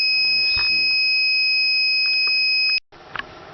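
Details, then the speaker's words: Small solar-battery inverter, which the owner suspected was too small, gives a piercing continuous high beep that cuts off abruptly when a fridge is plugged in, showing an error. This is an inverter overload alarm. "Well, now my inverter is playing mad. This is the one I was just hooked up for the fridge, and this is the one I had hooked up that's nothing's plugged into, and I'm getting an error."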